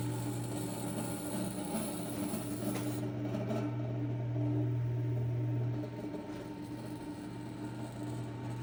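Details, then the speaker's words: McGraw-Edison Eskimo 1005/1005R 55 W, 105–120 V fan, thrift-store find, running after front bearing oiled: low mains hum with buzzy edge swelling as it spins up, spin-up not great; loose front badge buzzing, needs correcting. "Yeah, his badge is buzzing a little bit. I'm gonna have to fix that, but yep, I think if we just correct that badge, I think we'll be able to use it."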